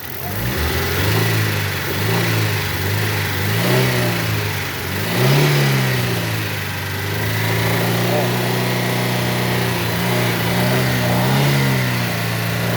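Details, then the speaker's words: Chevrolet Celta VHC: engine revving up and down with a dull knock under the drone, knocking more from the bottom end than the top; cause not pinned down. "A >> parte de cima e a parte de baixo. Só que a parte de baixo tá batendo mais do que a de cima."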